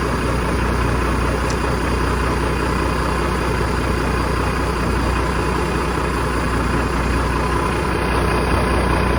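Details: 1987 Ford LN9000 house-moving/wrecker truck, diesel, just revived after sitting in a field about 20 years: steady, even low diesel clatter holding its speed with no misses or knocks; healthy idle.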